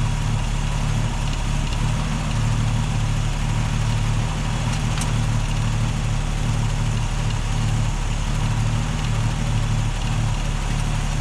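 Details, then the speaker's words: Holden UC Torana six-cylinder idling off a temporary fuel cell, original tank fuel pump disconnected: steady even low rumble with no misses or knocks throughout; healthy smooth idle. "I just drained about half a liter of fuel out of my fuel cell here and the engine runs. So, all in all, I'm really happy about it."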